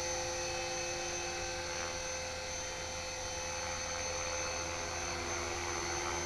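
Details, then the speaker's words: HK-450GT electric RC helicopter after rebuild, gentle test flight at dusk, trimmed well enough to hover without touching the sticks. Smooth, steady high motor and rotor whine with no wobble or surging. Normal hover. "Whilst it had been down then that was just about well I wasn't handsree but I wasn't touching the sticks if you know what I mean. It's trimmed up pretty good"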